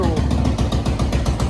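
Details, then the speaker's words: 1986 Honda TRX200SX ATV after tank, new petcocks and carb clean with new bowl gasket: single-cylinder thumps about seven a second, steady and even; runs much better, though seems to starve on reserve. "all right maiden voyage on the old TRX it's doing pretty good whatever reason it runs a ton of a lot better heck of a lot better"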